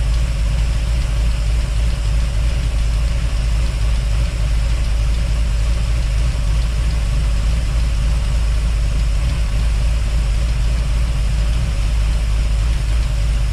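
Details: 1955 hardtop V8 at idle, after fuel pump refitted: steady low idle with rapid light clacking, roughly a hundred a minute, still present; owner believes it comes from the mechanical fuel pump, not confirmed.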